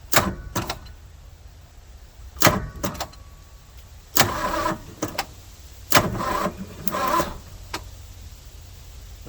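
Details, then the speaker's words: 1971 Ford F100 FE 360 abandoned 39 years, carburetor leaking badly: short heavy cranking bursts that stop and restart without catching. Owner suspects it is hydrolocked or flooded, with the float not holding. Labored cranking, no start. "thing acts like it's Hydra locked I wonder if this thing can sit here and flooded"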